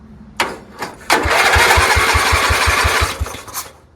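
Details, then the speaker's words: Free Dayton lawn tractor with 11 hp Briggs single-cylinder engine, blown transmission, revived as mud mower hauler: choked start, push-start button unreliable; a few starter bursts, then it catches with firm beats and runs on its own, sounding healthy. "Thing's great. Sounds like a hot rod. Fantastic."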